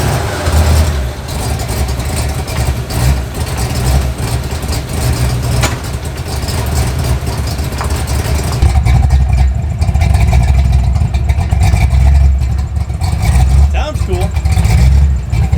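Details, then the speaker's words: Ford Fox body V8 idling high with a deep, lumpy, uneven beat and surges, random pops in exhaust and intake, heavy eye-burning smoke, check engine light; far too rich mixture and misfire, erratic with the new ECU, stock ECU powerless. "Zero power, um slight misfiring, just running poorly. The new ECU's got great power, but it's very erratic."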